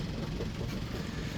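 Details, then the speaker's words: 55 hp sailboat diesel with a newly replaced starter, idling in reverse to test the mooring: a low, steady rumble under light load with no knocking or stumbling. Normal idle in gear. "We're in reverse. No lines in the water. We're straightening up now."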